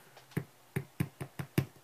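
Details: Shure SM57 dynamic microphone played through a mic preamp and monitors: six sharp, uneven clicks with a dull low thump, the rattle of a loose grille cap. Shure offers a free fix for the SM57 grill rattle.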